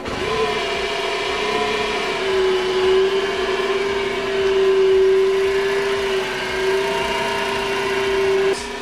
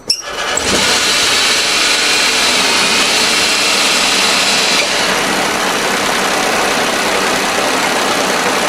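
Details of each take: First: 2012 Smart ForTwo, about 92,000 miles, parked 7–8 months, on start-up: loud steady whirring whine of constant pitch over the engine, attributed to worn accessory belt tensioner; owner feared alternator, still to be checked. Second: 2012 Smart ForTwo, about 92,000 miles, started after sitting roughly 7 months; engine catches and settles into an even, steady run with a smooth hiss on top and no rattle or chirp left.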